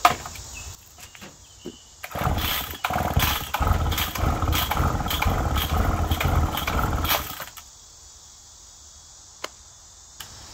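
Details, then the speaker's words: McCulloch Pro Mac 1010 chainsaw, carb screws one turn out, about 98 degrees outside: ragged pulls and sputtering bursts for about five seconds, never running before dying; crankcase found full of fuel for unknown reason, spark plug dry, fuel leaking at exhaust. "i'm gonna leave spark plug out crankcase is full of fuel for some reason that's exactly what the uh poland was doing"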